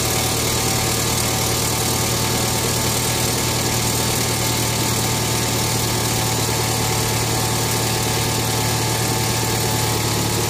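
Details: 2012 BMW X1 on cold start: a loud, busy metallic rattle over high idle that recurs every cold start and lasts 40-50 seconds until the idle settles lower.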